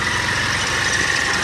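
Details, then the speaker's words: 1991 Mitsubishi 3000GT VR4, 77k miles, petrol engine at idle: steady idle under a thin, high chirp-chirp-chirp from the engine bay; owner says the belt needs replacing, slipping accessory belt suspected. "you'll hear that chirp chirp chirp I'm talking about it's definitely over here"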